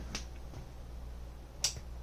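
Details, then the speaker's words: Rega Planar 2 turntable, power switch turned on and off: sharp pop through the speakers over low mains hum, worse at switch-off; unsuppressed motor switch, fixed by fitting 4700pF 250V safety capacitors. "little problem we have is when you turn it on and you especially when you turn it off, you get a loud popping noise through the speakers."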